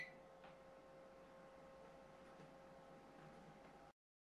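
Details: Anycubic i3 Mega 3D printer after noise-reduction upgrades: soft steady hum with faint stepper ticks at very low level; normal quiet printing.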